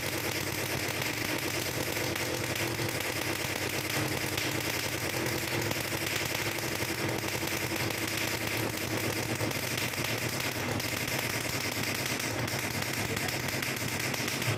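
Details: Two-stroke motorcycle engine after reed valve (membrane) reinstallation with the stopper plate removed, started after cranking to prime the carburetor: rapid crackly popping beat holding steady and even, running cleanly with no misses; normal running.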